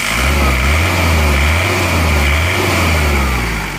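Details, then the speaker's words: Isuzu Panther diesel turbo, just had original cylinder liners reversed, warm after about a 50 km round trip, throttle blips: deep, steady drone swelling and easing, smooth with no knock or rattle; sounds as good as with new liners, normal revving. "Sudah sama jadi suara mesinnya Turbo seperti ini bagus [Tepuk tangan]"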